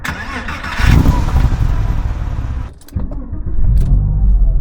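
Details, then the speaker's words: Cold start on a car: starter churns several revolutions before the engine catches and settles into a low rumble, deliberately programmed to inject and ignite fuel only once oil pressure has built; normal cold-start cranking. "vous avez entendu, le moteur a fait plusieurs révolutions avant qu'il ne prenne. C'est tout à fait délibéré, le moteur aurait pu démarrer plus rapidement"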